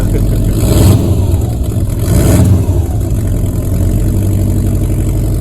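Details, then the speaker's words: Subaru WRX STI boxer engine started after long winter storage via NOCO GB20 jump starter: deep lumpy rumble, two quick rev blips, then steady idle; flat boxer running healthy. "Nice to hear that flat boxer rumble again. Does sound good."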